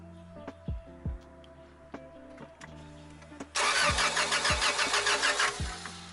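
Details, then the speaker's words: Honda Accord cranks steadily at about three turns a second but won't start; coil pack good, but no spark and no power to the black wire; distributor suspected. "spark absolutely no spark okay all right go ahead there was no power to the black wire"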